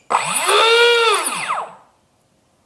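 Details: Brushless motor with generic ESC right after high/low throttle calibration, propeller removed: clean whine climbs with throttle, holds, then winds smoothly down; normal spin-up.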